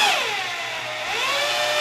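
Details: Second drill spinning the oil primer on a 200 straight-six engine being primed with 20W-50 break-in oil, after the first drill slipped: even high motor whine that dips and climbs smoothly with the trigger, no chatter or grinding, spinning cleanly.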